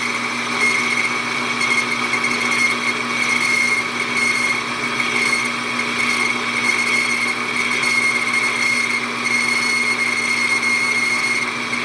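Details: Hobby lathe boring a hole in a model Stirling engine part, at about .485 aiming for .505, feed slowed: steady high-pitched squeal over cutting noise through the pass, boring bar chatter; finish looks good, may slow spindle.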